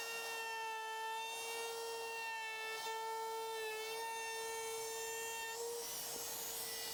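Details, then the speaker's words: Wood router cutting a round-over on a carved sign: a constant high-pitched whine at one pitch with a faint rough edge; the owner suspects worn router bearings, unconfirmed. "did you hear that guys sounds like my router the bearings are going out that's what it normally sounds like"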